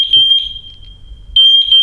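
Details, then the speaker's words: MatElec wireless smoke alarm after smoke test: shrill high-pitched pulses about a second long with short gaps keep sounding even though the smoke has cleared and hard-wired alarms stop; wireless units don't self-silence, reason unknown. "do so I've cleared the smoke and it's stopped for whatever reason the wireless ones don't just stop any met no idea why"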